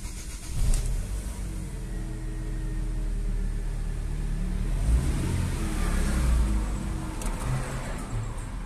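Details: Chevrolet Aveo ETEC II 1.6 with a fuel pump fault, started from the cabin after the pump was activated and fuel reached the injectors: cranks, catches quickly and settles into a steady, even idle with slight rev rise; healthy start.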